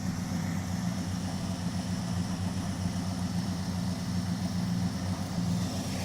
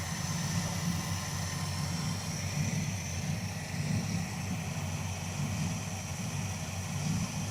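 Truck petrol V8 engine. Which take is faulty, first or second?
second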